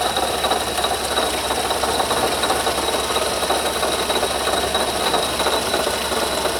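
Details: Noise under the hood growing steadily louder: steady high-pitched whirr with irregular rattle over the running engine; bad bearing in the water pump housing.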